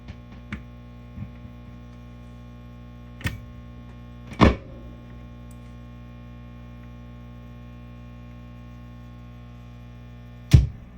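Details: Mesa Boogie Triple Rectifier Solo head after its channel-switching fault was fixed: a steady 60 Hz mains buzz with a few thumps, coming from the preamp. It changes with the effects-loop send control and stops when the V3 tube is pulled.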